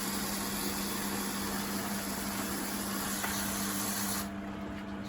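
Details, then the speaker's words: Beko WTG620M2W slimline washing machine drain test with water added: a steady low hum under a hissy rush as bubbly suds drain from the hose. The drain pump is running properly. "quit that now it's coming out quite bubbly because it's washed all those suds into it"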